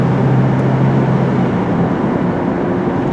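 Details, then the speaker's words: 2004 Chevrolet Trailblazer with a 4.3 V6 and a gutted front catalytic converter, in for no power, suspected compression loss under load: a steady, even full-throttle drone, no stumbles, about 200° on the gauge, no check engine light or misfires. Pulls cleanly. "So we'll pull out of here, full beans. Oh, we have Chevy Thunder. Chef baby. There she goes. So right now everything works lovely."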